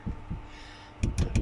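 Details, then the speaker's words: 2015 Toyota Prado rear seat after rear seatback recliner latch repair: shaking the seat gives only a few dull soft thumps, no metallic rattle; the latch holds firm, slightly tight but moves normally by hand. "Ну да здесь получилось чуть потуже но руками двигаешь нормально всё Зато ничего греметь у нас теперь не будет"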